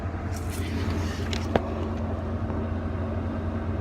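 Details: Toyota Supra that previously would not turn over and showed no spark, now idling after the alarm system was taken apart and unplugged: a steady low rumble with an even beat and no misses, knocks or squeals.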